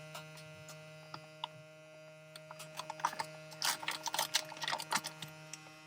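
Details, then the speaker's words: Small USB vacuum pump from a filament storage kit, powered by a power bank, drawing down a resealed bag: faint steady hum under crinkling plastic and clicks; healthy, more than enough suction. "Push the button. And then you can watch it. You can hear and watch it, how it shrinks."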